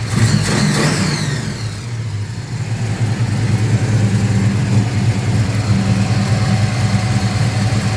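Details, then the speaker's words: Holden HQ small-block Chevy V8 after the carburetor replacement, with the idle cam giving a lumpy beat: a deep, even burble that settles cleanly and picks up crisply on the throttle; normal running. "all right so we're we're in a good spot runs nicely idle cam gives it the [Music] BCE very"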